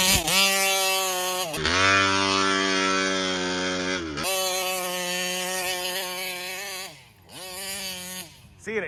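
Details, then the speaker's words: Kraken Vesla RC boat with a Taylor 35cc reed two-stroke: revs climb and sag but never clear to a crisp high note, then die; the carburetor is suspected of fuel starvation at high rpm, possibly from a plugged or doubled screen. "I think this carburetor is like I don't know there's something going on with this carburetor it feels like it's like it's starving at a fuel on high RPMs"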